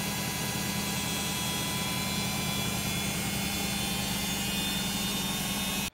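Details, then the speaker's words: Beko WM5100W washing machine, brushed commutator motor, noisy while washing: loud steady hiss with low hum and thin whine, brushes scraping rough commutator; fixed by skimming commutator on a lathe and emery paper. "it makes a lot of noise when it's washing i think it's the motor brushes rubbing off the"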